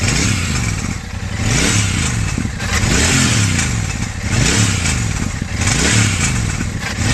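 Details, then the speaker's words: Royal Enfield Super Meteor 650 twin at 12,740 km revving, a tinny clatter louder with each blip; something has broken loose inside the bend (header) pipe, which is to be replaced. "Something has broken down inside this ben pipe. So it's making uh some irritable noise."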